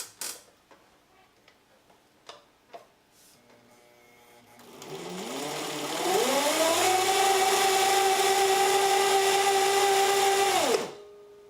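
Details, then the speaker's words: Old household sewing machine stitching after adjustment: motor spins up and holds a steady, thin whine with a slight slur; worn drive belt slipping, worsening with use until replacement. "you can really hear that belt slipping"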